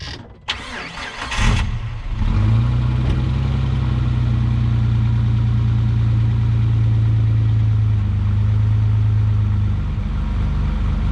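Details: 2004 Jeep Wrangler TJ 4.0L after replacing O2 sensors, pre-cats and primary catalytic converter with aftermarket Magnaflow units (old clogged, same muffler): cranks, catches quickly, settles into a smooth, deep, even idle rumble with no rattle or hiss.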